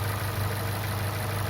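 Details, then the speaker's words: Opel Corsa OPC 1.6 Turbo (192 hp), after a rebore to repair size with forged pistons, forged rods and new oversize rings to cure cold piston slap: steady, even idle with no tapping or knocking; pistons no longer knock. "поршня не стучат можно отдавать клиенту"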